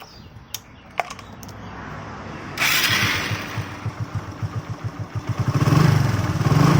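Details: Hero BS6 motorcycle engine: after start-up it settles into an uneven thumping, about four beats a second, growing louder with revs; an abnormal engine noise, cause unclear.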